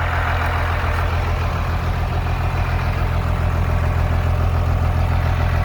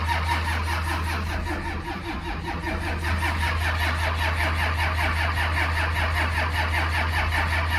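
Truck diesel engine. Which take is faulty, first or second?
second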